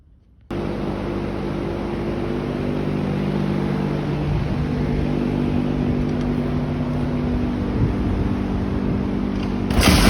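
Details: 2010 Yamaha YZ450F after new cams, spark plug and fuel pump for hard starting needing push starts: single-cylinder four-stroke fires cleanly into steady idle with a crisp blip; runs healthy.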